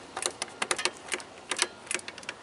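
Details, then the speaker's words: John Deere X300 rider with a no-start, no spark and an inactive carburetor fuel solenoid: after plugging in a new time delay module, quick sharp clicks come in uneven bursts with the engine off. Normal fuel solenoid clicking. "we can tell that we have fuel solenoid action. So let's go ahead and get that fuel solenoid hooked back up and see if we can't make a runner out of it."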